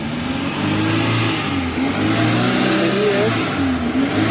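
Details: Maruti Super Carry running on CNG after gas ECM repair that cured random misfire (P0300, P0301, P0303, P0304; cylinder 3 injector previously dead, now all four working): engine revs up and down smoothly with clean even note, no stumble or popping, no trouble codes.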